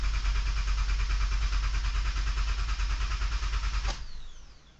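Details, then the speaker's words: 2008 Honda Odyssey van that won't start: starter churns at about three beats a second for four seconds with no catch before dropping off; engine cranks but won't fire. "My van won't start."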